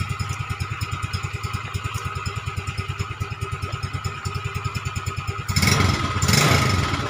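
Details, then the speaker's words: Yamaha Mio Smile carburetted scooter after custom CVT rebuild (Mio Z roller housing, big pulley), tested at night: even idle, then revs up cleanly without rattle or roughness, very smooth; normal revving. "hai eh dari lagi dan itu ya suaranya seperti itu dan sangat halus"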